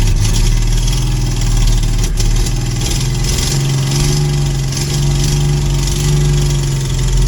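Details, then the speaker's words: 1966 Ford Mustang V8, reassembled, transmission checked and probably low on fluid: deep idle, uneven and slightly hunting beat under a steady rumble; simple carburetor needs refining, owner suspects a vacuum leak at its base and will pull it; unstable idle. "So, yeah, there's some refining to be done on that carburetor. I think I'll go ahead and pull that off. At the minimum, maybe it's got a vacuum leak at the base or something like that."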